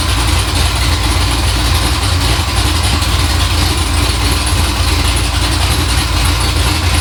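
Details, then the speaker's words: 6.0 LSA supercharged V8 swapped into OBS 1500 truck, idle freshly adjusted: loud, deep idle with an uneven rise and fall as it warms, coolant around 185; certain tune cells unhappy, idle surge to revisit in logs. "got the idle sort of adjusted started to surgery as it starts to warm up I can see on the tune certain cells aren't too happy it started to Surge there"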